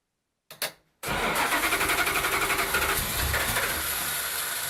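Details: Datsun 521 with a V8, after a supercharger install and adjustments, prone to flooding while cranking. After a brief stuttering crank it catches cleanly and settles into an even, rapid idle, sounding healthy.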